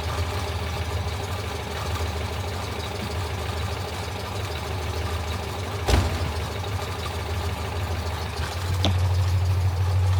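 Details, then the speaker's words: Citroën 2CV flat-twin after tappet adjustment, oil and filter change and cleaned, gapped spark plugs, previously getting tappety: even, smooth idle with steady low beat and one brief blip, no tappet clatter; normal idle. "not an expert in these things, but I would say that that sounds bloody marvellous. I love this little thing."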